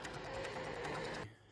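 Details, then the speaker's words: Infiniti G35 sedan with a recurring no-start and weak battery, key off after battery reconnected: fast even buzzing chatter about ten clicks a second from the rear of the engine bay, not the battery, cutting out abruptly; owner suspects something draining, possibly a relay. "it honestly sounds like the sounds coming from like back there it's not coming from this box it's not actually coming from the battery hear that what is that bro maybe this is what a batteries did because something's draining"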